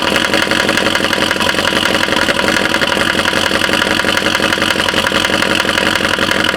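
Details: 2012 Chevy Caprice PPV 6.0 LS V8 cold start, a month after DOD delete, stage 2 cam, new lifters and rockers; loud lopey idle with sharp steady tick, seemingly driver's side, louder with RPM, no misfire codes.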